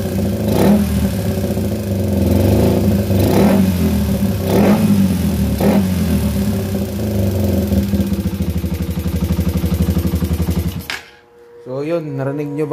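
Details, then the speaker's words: Raider 150 carb motorcycle, freshly overhauled with a replacement manual cam chain tensioner; the tick reportedly gets worse when the engine is hot. Fast steady ticking, about four a second, over a hard-running single at idle and revs. Cause not yet found. "Pero may masyadong maingay kasi sa makina nito. Bagong overhaul to, tapos naka manual tensioner, pinalitan na nila."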